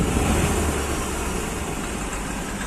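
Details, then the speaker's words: Hyundai Xcent diesel held around 2000 rpm: harsh, uneven clattering knock with misfiring and heavy white smoke after throttle is applied and released; the fault was traced to a faulty engine control module. "इसका problem ऐसा है कि accelerator दे कर के अगर छोड़ दिया तो यह नॉकिंग करना चालू करता कड़कड़ कड़कड़ और मिसिंग टाइप होने लगता है और स्मोक मारने लगता है"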